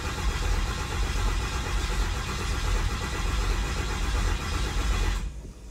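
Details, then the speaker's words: 1500hp Cummins diesel build, freshly installed, dry crank with transmission in neutral: steady low churning of the starter turning the engine over without firing, even until it stops; second crank gave good oil pressure. Normal cranking. "i know we started and stopped the camera but that legit was the second time we cranked it we got good oil pressure"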